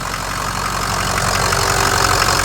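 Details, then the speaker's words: Ford F-550 Lariat diesel, manual shift, after rebuild with fresh engine, balanced rotating assembly, new Garrett turbo, injectors, harness, radiator, coolant pump and fan clutch, just started: steady, even diesel clatter at idle, no knocks, misses or whine. "Let's see if it starts. It will. Fresh engine, fresh turbo, engine harness, injectors, balanced rotating assembly."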